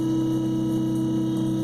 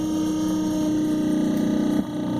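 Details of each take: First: A Minn Kota i-Pilot trolling motor runs after the lower unit is aligned to the sweet spot. It gives a steady, even hum at constant pitch with no drag, spinning freely. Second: A Minn Kota i-Pilot trolling motor runs with its lower-unit 5/16 bolts loosened. It gives a steady tone with a strained, dragging whine that shifts as the unit is adjusted. The misaligned lower unit drags the motor, draining the battery.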